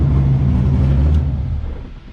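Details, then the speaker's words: LS7 V8 in an S14 comp car after sitting about 3 months and a cooling-system bleed: deep, even V8 rumble at idle and revs, winding down smoothly, no misfire; sounds like it's running on all 8 cylinders. "Doesn't even sound, it actually sounds like it's running on all 8 too, so that's a bonus."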